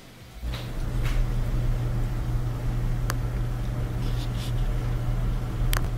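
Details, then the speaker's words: Bosch dryer back to normal running after a small Phillips-head screw caught between the tumbler and the front bearing, which caused a metal rubbing noise, was removed: an even low drum rumble with a steady hum, a couple of faint clicks and no scraping. "so it turned out to be a small phillips head screw probably from somebody's pocket so took it out and then back to normal sounding dryer"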